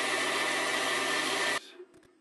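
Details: Bandsaw running with carbon guide blocks and the thrust bearing moved in until it just starts touching the blade, then backed out. Even steady whir with a faint fixed tone, no ticking or rubbing, then it cuts off; normal running, bearing clear.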